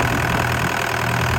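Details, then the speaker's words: Six-and-a-half-ton DX63 digger diesel after throttle actuator trouble: a low, even rumble holding a steady idle with no stumbling or knocking; it finally runs healthy. "it going am I glad to hear that engine going"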